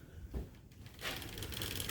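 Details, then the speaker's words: MTB with a SRAM GX Eagle drivetrain and SunRace 51-tooth cassette, just assembled: a quick, light rattling tick as the drivetrain turns, from the slightly long chain rubbing on the rear derailleur. "it's a smidge long. So that's what that sound is you can hear the chain rubbing on the derailleur, which that's great."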